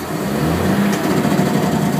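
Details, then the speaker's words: Heavy truck diesel with engine brake switched on, foot off clutch and throttle: rapid, harsh staccato exhaust bark; engine brake operating normally. "You hear that sound? That's the sound of the engine brake."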